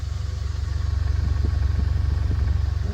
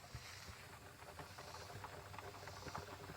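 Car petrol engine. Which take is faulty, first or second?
second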